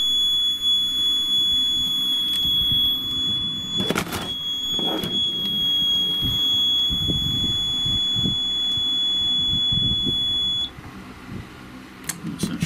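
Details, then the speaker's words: Seaward Europa PAT tester after battery replacement and reassembly: steady high startup tone holds about ten seconds then cuts off cleanly, tester fires up perfectly. "fired up coming perfectly okay now I imagine anything we did just sorted that out"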